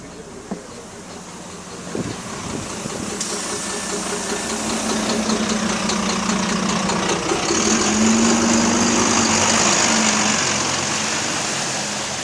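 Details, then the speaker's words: GAL WVN27 diesel bus idling on route 200: steady knock roughly three a second over the engine note, heard from outside; rod knock suspected, unconfirmed. "Yeah, I'm not too sure what that noise is coming from on the outside of the bus, but you don't usually hear B-Night Tales like sounding like that on the idle RPM."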